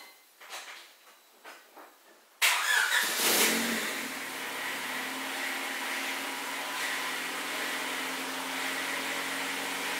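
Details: 2000 Honda Civic starting on its stock exhaust, before an eBay 4-inch rolled-tip exhaust install; a few faint ticks, then it catches and settles into a steady, even run; normal exhaust sound.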